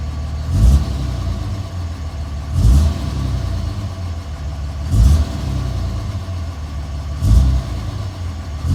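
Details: 2007 Dodge Ram 5.9 Cummins, rough hunting idle for about a month: heavy surge every two seconds or so; intermittent fuel rail pressure sensor, MAP sensor and overboost codes, owner wonders about blow-by and exhaust sound; cause not pinned down.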